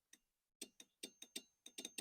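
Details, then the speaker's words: Stiga Combi 53 SEQ lawnmower with its failed electric start rewired DIY-style using a cheap relay and a temporary switch: sharp, crisp clicks in quick bursts with no hum or buzz; the relay is pulling in cleanly. "you can hear the relay turning on"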